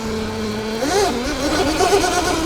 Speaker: The sound she makes. It's a better sounding, quieter, smoother motor.